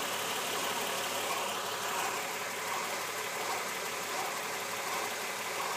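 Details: 2010 Acura MDX engine: faint regular chatter about 1.5 beats per second over hissy idle; timing belt tensioner fault, fixed under warranty per TSB 08-031 by replacing tensioner and timing belt, noise gone.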